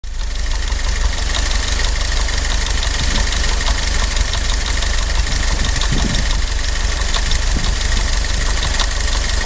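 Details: 1943 Willys MB engine, part 2 of knock diagnosis. Loud rough idle with a dull repeating knock thumping under the exhaust from inside the engine, cause not yet found.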